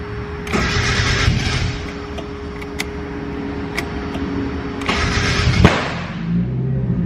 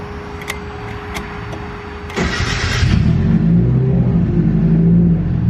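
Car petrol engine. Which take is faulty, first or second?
first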